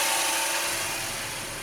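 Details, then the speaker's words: 2019 Honda HR-V 1.8L AWD at idle with the AC compressor clutch engaged. A harsh, raspy grinding racket sits on top of the engine and goes away when the AC is turned off. The clutch seems to work. "Oh, can you hear that? That doesn't sound good. Not at all. The compressor is on and it's engaged, so it sounds horrible."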